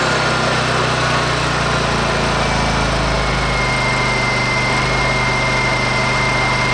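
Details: Honda EU2000i generator after reinstalling the carburetor pilot jet and idle adjust screw to cure rough, surging low idle: even, steady low-idle drone with no surging or hunting; normal smooth idle.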